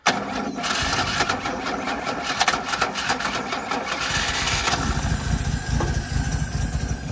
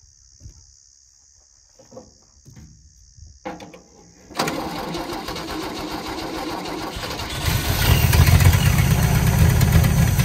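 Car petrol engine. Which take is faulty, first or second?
second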